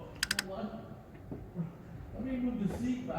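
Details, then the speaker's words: 2017 Honda CR-V, pressing push-button start with the camera under the hood: starter solenoid clicks, then a thin steady whir without the engine turning; starter free-spins, not engaging the flywheel, and needs replacing. "yeah yeah there you go all you hear is just spinning yeah doesn't even engage the uh flywheel all right so that's uh that's our issue so we need a starter"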